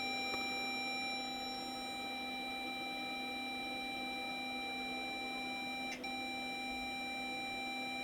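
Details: Multitech MPF-III 310 Apple II clone saving the monitor to a cassette drive: steady high-pitched data tones hold evenly with no dropouts or wobble, a clean save signal that later loads back successfully.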